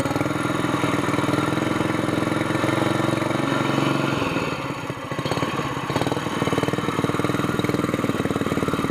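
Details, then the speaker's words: Honda GX200 mud motor with the new Robertson's short torque-tube pipe and screw-in muffler replacing the broken SPS pipe, choke off: even, steady single-cylinder putter with a mild, much quieter exhaust and no knocks or misses. "That's not bad. I think I like this better. It's cheaper and it's not as loud, so it sounds like a four-wheeler now."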